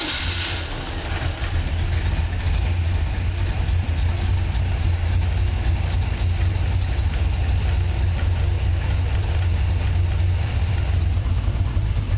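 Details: Engine with newly installed FiTech throttle body EFI, first start-up for initial setup after earlier fire-and-die with no RPM signal; catches after a short crank, settles into a smooth, even, deep idle with a steady beat; normal running.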